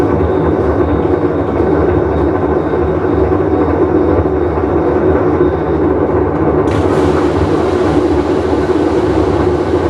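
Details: Whirlpool Cabrio washer with bad bearing during full wash cycle: loud, steady, deep roar that never lets up through the spin; worn drum bearing.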